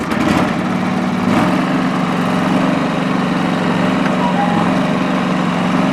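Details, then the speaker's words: John Deere 445 lawn tractor with about 2,500 hours, warm restart on three-year-old gas: settles into a steady, even idle with a smooth drone and no misses; lifters noted as slightly noisy, no oil smoke; normal warm idle. "a single trace of smoke out of that exhaust pipe fisting 2500 hours not burn oil"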